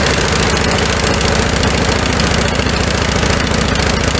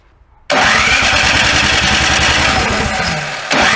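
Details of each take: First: Snow blower small single-cylinder engine in the carburetor-jet no-start fix after summer storage: steady fast putter with even firing, no misses or surging; running normally. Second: Snow blower engine at first start after summer storage: it catches abruptly, runs briefly with a rising whine, dips and picks up again. The owner says the carburetor's tiny jet holes clog in storage; the carb bowl was drained and the fuel valve cycled.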